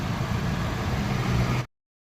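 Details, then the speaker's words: Hyundai i10 after the drive belt (V-belt) was tightened to fix an AC-on squeal: steady, even low idle under air-conditioning load with no squeal or chirp, then the engine is switched off; belt now quiet, normal idle. "तो चलो चलते हैं गाड़ी करते हैं बंद एक number आवाज हो गई बिल्कुल"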